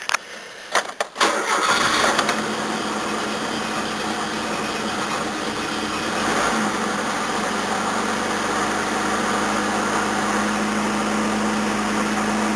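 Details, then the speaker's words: 1981 Toyota Corona RT132R with 18R-C engine, cold at about 10° after a cranking start, choke turned down one stage: lumpy, shaking idle with an uneven beat that wobbles the bonnet. Rough idle from overly tight valve (tappet) clearances. "Yeah, it's not running very well. It's about to show the bonnet wobbling around everywhere."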